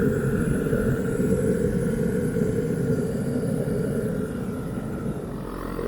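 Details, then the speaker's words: Teleflex MBU V3 military burner running on diesel, heating 2 gallons of water to a rolling boil in just under 10 minutes on about one amp hour of battery: steady low roar with faint fan hum, even and unwavering; normal burner operation. "I think that was a pretty good test. It took just under 10 minutes to get 2 gallons of water to a rolling boil, and we used about just under an amp hour of energy out of the battery pack."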